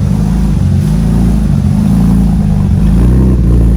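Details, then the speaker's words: BMW E36 M3 on cold start with P1188 and P1189 codes; owner suspects O2 sensors or injectors: loud idle whose low drone wavers, rising and sagging, hunting rather than holding steady; fluctuating cold idle, cause unconfirmed. "the idle kind of fluctuates on a rough start"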